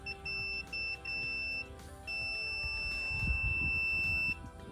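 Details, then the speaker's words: Frigidaire gas dryer's high-limit thermostat tested with a multimeter: clear high-pitched beep, broken then steady, shows continuity, so the high limit is good; a failed one could cause no heat. "getting a continuity reading so we know this this high limit is okay but if you ever have no heat that could be your culprit"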